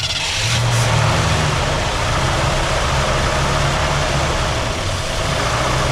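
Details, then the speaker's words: 1967 Ford Galaxie 500 V8 with carburetor trouble, idle screws all the way down: uneven, lumpy, loping idle; the engine is sucking air past loose intake manifold bolts, a vacuum leak. "that, she'll run good. And that's the way you want it to run. So it's sucking air somewhere."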